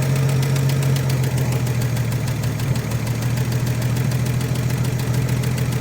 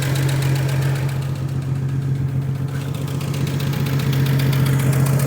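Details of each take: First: 1956 Chevrolet with 235 straight six, parked since 1989, running on carburetor fuel: low, even, smooth idle with steady rumble, no misses or knocks, no tailpipe smoke; healthy. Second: 1956 Chevrolet with 235 straight-six, parked since 1989, runs with a steady, fairly even low idle hum and no smoke, kept going on fuel poured into the carburetor because the weak fuel pump barely delivers.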